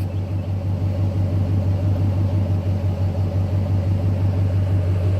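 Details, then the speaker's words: 2014 Dodge Ram Hemi V8 with newly installed BBK shorty headers, cutouts closed: deep, even lumpy burble at steady idle, more aggressive and chopped, no misses or ticks; normal idle. "The truck sounds like more aggressive. So this is with the headers, no cutouts."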